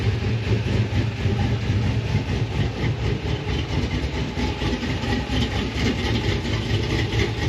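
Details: 6.0 Chevrolet Silverado SS with Brian Tooley Racing Stage 4 truck cam, started the next day after the tune was sorted: deep steady loping idle with even rumble and no knock or tick; healthy cammed idle.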